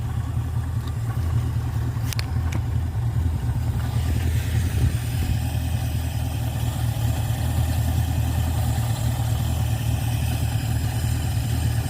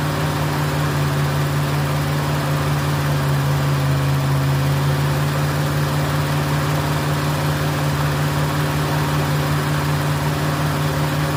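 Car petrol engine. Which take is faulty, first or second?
second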